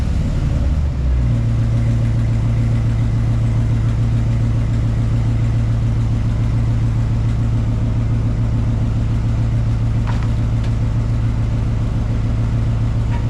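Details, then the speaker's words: 2004 Dodge Ram 1500 after parts from a 2003 were fitted and a replacement exhaust was welded in (pipes still to finish): a brief rev settles into a deep, even idle rumble, no ticking or leaks; exhaust sounds healthy. "I got it all welded in. We about to see what it sounds like, y'all."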